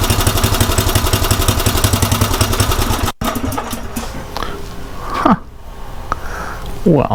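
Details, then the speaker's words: Craftsman rototiller single-cylinder engine after fitting a new carburetor, run at about three-quarter throttle; quick, even beat for a few seconds before cutting to handling noise; runs cleanly and sounds much better than before. "that sounds a whole lot better"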